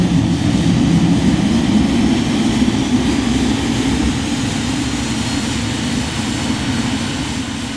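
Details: Cirrus Vision Jet, Williams FJ33-5A medium-bypass turbofan rated at 1,846 lb thrust, start heard from the cockpit: a steady rising rush of air and low rumble as the engine spools up smoothly, with ITT, N2 and N1 rising; nothing irregular, a healthy light-off.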